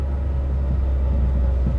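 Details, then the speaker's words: Mitsubishi Evo 8 with a years-long idle problem, idling just after a battery reset (idle relearn takes about 100 miles): a deep, low rumble that wavers and lumps unevenly. Rough, unstable idle, not expected to be fixed yet. "Uh, I don't expect it to be perfect right now because usually after you uh reset the battery in this thing, it takes about 100 miles or so to um Woo, moving stuff around here. 100 miles or so for the idle to relearn itself. Um, god, that's so bad."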